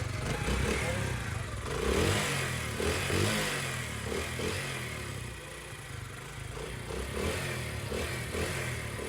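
Motorcycle engine ticks over with a steady even beat and a little rev, no knocking or rattle, running normally with street noise behind.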